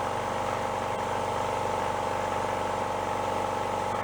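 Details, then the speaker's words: Repaired older air compressor (rod knock fixed) after replacing a worn, thin belt with a fatter one: steady even pumping beat about four per second over smooth motor hum, no knocks or rattles; sounds better, no smoke or breather oil, normal running. "All right, new belt. See what we get. Sounds a little better."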